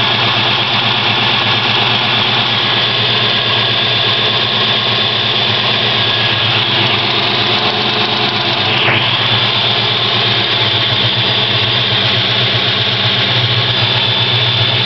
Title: Mustang Lifter Tick